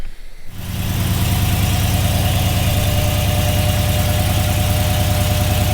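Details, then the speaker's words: 5.3L Silverado V8 at its first start after fitting a 2024 C8 Corvette intake manifold, a 2019 ZR1 throttle body, headers and a colder intake, untuned. After firing, a heavy, slightly uneven idle thumps at about three pulses a second, rough and hunting; the untuned setup is suspected. "so yeah you can hear it having a hard time uh idling like I said none of this is tuned it's not even tuned for the headers the new intake the colder intake or the bigger throttle body so it makes sense for it to be you know having a trouble to stay on"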